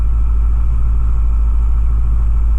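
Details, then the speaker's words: 2010 Ford F-250 6.4 Powerstroke diesel, replacement engine with about 680 miles, started cold at 34°F after the glow plugs cycled 5–6 seconds: starts without trouble into a deep, even rumble with no knocks or misses; normal cold idle. "We'll go ahead and hit the key and see what it does. Oh yeah. Starts no problems whatsoever."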